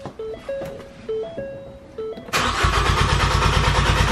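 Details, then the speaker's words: Crank, no start after pulling 20 A fuel pump fuse F56 before aux fuel kit install: chimes, then starter cranks evenly about three turns per second without catching, relieving fuel pressure after stall. "you guys heard car doesn't start basically it stalled and then once it stalls you want to crank in front of 20 seconds to ensure that basically all the pressure is relieved"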